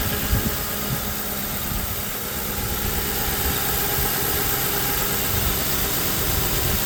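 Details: 2005 Ford Crown Victoria Police Interceptor P71, 4.6L V8 with heavy-duty cooling system, hood open: smooth, even idle with a steady hum and fan whoosh, no ticks, knocks or stumbles; healthy.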